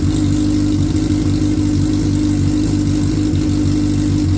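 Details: 2003 Suzuki Hayabusa first run after repair, airbox off and intake air temp sensor unplugged; steady, even idle with a smooth low drone and no knocks, misses or rattles; normal idle.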